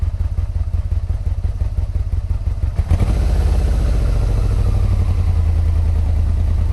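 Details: 1986 Yamaha Venture Royale 1300 with 86,000 km, first start in 7 years on old oil. Lumpy idle with loose irregular knocks, then revs climb at three seconds with a heavy low clatter; owner suspects 7-year-old oil, unconfirmed.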